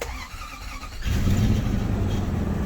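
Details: 1998 Lexus LX470 after starter replacement, shut off and restarted to test how quickly it starts. About a second of quiet, then the engine catches at once and runs smoothly; it starts normally.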